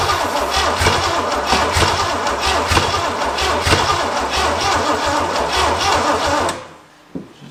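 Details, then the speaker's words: Barn-find 1968/69 Pontiac GTO Judge V8, engine not pre-oiled, after fixing broken plug wires and spraying brake cleaner into the intake: long uneven cranking with scattered firing puffs that never catch. Dry rings are suspected; it later sprang to life. "There's a good chance our rings and everything are very dry. And we probably should have oiled the motor first, but I'm in a hurry cuz I got to edit."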